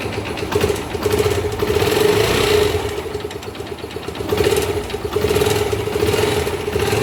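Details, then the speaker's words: 2013 Factor 125 single, low mileage, oil change overdue and oil level dropped: dry, uneven tapping and a hollow rattle at idle. Piston slap from oil starvation is suspected, engine not yet opened. "Vectorzinho, cliente reclama do barulho do motor. E passou a quilometragem do óleo. O que aconteceu? O óleo baixou e fez o barulhinho no motor."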